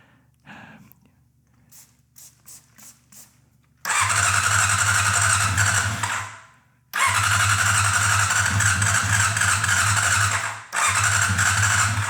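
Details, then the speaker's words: 1990 Honda CBR600 stored outside for ten years: weak cranking, then ragged hiccuping bursts of firing that die away without revving, because the carburetors are stuck shut and the throttle won't open. "firing. It's not revving up because the carburetors are stuck shut and I can't open it up."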